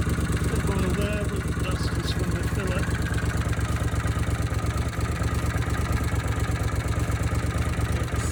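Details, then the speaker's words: Honda CX500 twin, first start-up of a cafe racer project bike: a deep, lumpy beat near three a second at idle with occasional stumbles, like a misfire, though both cylinders fire; the owner is unsure of the ignition type, cause unconfirmed. "Now you can hear that. It's like a misfire actually."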